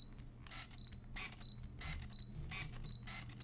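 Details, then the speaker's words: Canon EF 35mm f/2 lens without USM: short buzzy robotic whirring bursts, about five in under four seconds, as the lens hunts focus; normal non-USM autofocus motor noise. "it doesn't have the Canon USM label which produces a quieter focusing sound it doesn't have that so as you're focusing it makes this robotic sound"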